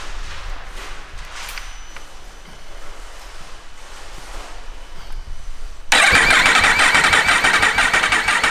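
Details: Yamaha R1 race bike after rebuild, oil being topped up, about halfway on sight glass: quiet, then loud rapid even starter churn with no firing, cranking without fuel to prime oil; normal.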